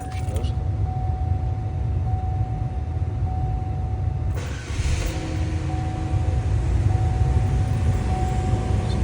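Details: 2.2L four-cylinder Oldsmobile Alero/Pontiac Grand Am (1999-2005), run a few seconds after an oil and filter change with the oil above the line. Steady, even low drone with a faint constant tone at raised revs, no knocks or misses: healthy.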